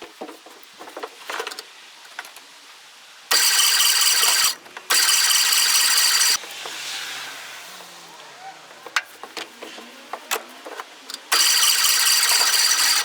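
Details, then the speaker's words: 1958/59 Austin Gipsy G1 M10, stored 11 years with original petrol, cranking after points set to 16 thou: starter spins in short bursts but never fires; no spark, traced to the ignition feed wire melted off at the power terminal. "something I failed to notice was this wire had melted off at the power ter look looks like it got pretty hot cuz the insulation all melted"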